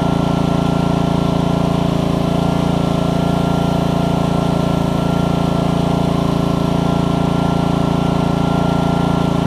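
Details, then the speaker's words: Troy-Bilt pressure washer with Honda GCV160 on a new HiPA carburetor, pump running after an obstruction was cleared by repeatedly pulling the trigger. Owner thinks it no longer makes 2600 but about 1500–1600. Constant, even single-cylinder drone under pump load, no hunting; running properly. "and it's not finding up anymore which is great and it has just got a d i don't think it's got 2600 on it anymore but it's probably got about 15 to 16. but he is it's running good"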